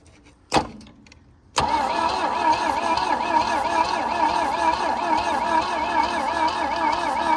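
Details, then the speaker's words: Abandoned 1966 Volvo Amazon 122 estate, cranking on the starter with no ignition yet, after the cylinders were soaked and the engine freed. Wavering, uneven chuff with a puffing hiss each stroke; compression leaks past spark plugs left loose. "spark plugs are moving around. That's because somebody left them loose after I soaked the cylinder walls down."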